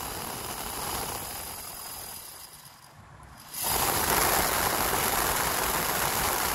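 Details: 1981 VW Rabbit (MK1) A/C heater blower motor, failed from bad bushing, after disassembly, cleaning and rebuild, reinstalled; quiet moment then spins up to smooth steady whir, no squeal or rattle; blower runs freely after repair.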